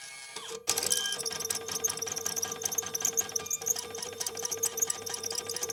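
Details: TNA Intellidate+ (Videojet 6420 / Linx TT5 equivalent) right-handed thermal transfer printer, about 11 million prints, after circuit board replacement: quick regular ticking and stepping clicks over a steady faint whine, running evenly.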